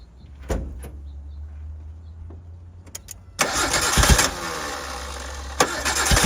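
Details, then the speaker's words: 1988 Suzuki Samurai parked since the late 1990s, gravity-fed from a temporary fuel tank: isolated cranking thumps, then it catches with a rough surge and stumbles into a shaky run while given gas; owner suspects poor fuel feed. "trying to give it gas at the same time, but I honestly think it makes it worse."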